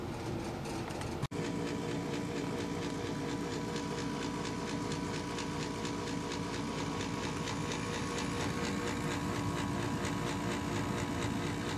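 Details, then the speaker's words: Bryant Plus 80 natural gas furnace resetting after a flame-sensor/ignitor fix: steady fan hum with a soft, even pulse and no scraping or rattle, a normal pre-purge clearing trapped gas before the lighting sequence. "as you can probably hear in the background now, my system is resetting itself. And the first thing it does is it purges itself. It just turns on the fans and makes sure that there's no gas that was just trapped there."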